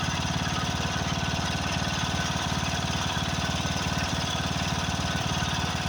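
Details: Craftsman riding mower, 13.5 hp Briggs & Stratton OHV single, after a carburetor replacement: thumping about 220 beats a minute with uneven lumpy pulses, running rough. Owner suspects fuel mixture adjustment or possibly a blown head gasket.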